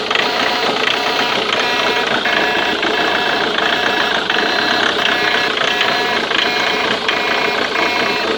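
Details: Ford Mondeo Mk3 TDCi diesel at idle: fast, steady metallic ticking from the injector area, loudest up top, cause unknown.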